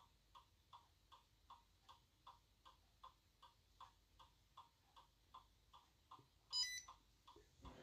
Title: iPod DFU mode sounds like microwave beep